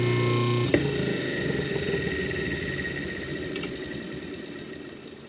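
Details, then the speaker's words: Motor for a 1950s Atlas 10" band saw Model 9360, bench-tested before hookup: even hum, switch click, smooth coast-down, no rubbing or knocking. The pulley moves in as it spins up and back out at stop; owner unsure if by design, judges motor strong enough. "my thoughts on this are it works it sounds sounds like it's going to be strong enough"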